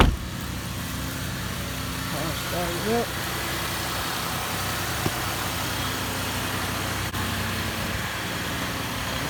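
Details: 2018 Chevy Impala after EVAP purge valve replacement (before: check engine light, hard start and shaking after refuelling): the engine catches quickly and settles into a smooth, even idle with no misses or shaking.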